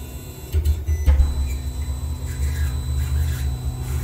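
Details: Anycubic i3 Mega 3D printer printing on its stock stepper drivers, before the swap to TMC2208 drivers: a low droning hum with a steady high stepper whine, loud stepper noise.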